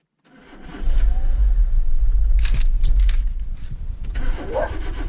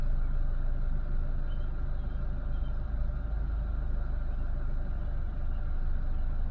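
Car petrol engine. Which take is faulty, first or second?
first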